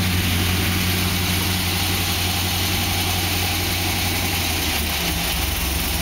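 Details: 2006 Pontiac GTO V8 at idle: steady low rumble with a faint irregular knock about three a second; owner asks whether it is piston slap or something more serious, cause unclear.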